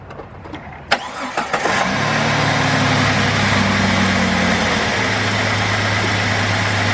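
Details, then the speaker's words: 2002 Jeep Grand Cherokee Laredo after topping up very low oil (gauge had dropped to zero): quick crank, clean start, then steady even idle with no knocks or ticks; mechanical gauge at engine shows almost 75 psi oil pressure, healthy. "right you see how much oil pressure is coming out of the engine and what is thanks to me wow that's a lot that's almost as 75 psi got some good oil pressure we definitely got some good oil pressure here"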